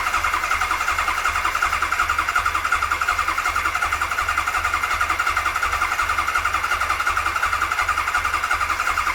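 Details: 1992 Kawasaki KZ1000P, first start attempt after a fresh rebuild and modification: the starter spins steadily with even compression pulses near three a second, but the engine never catches. Cranks, won't start.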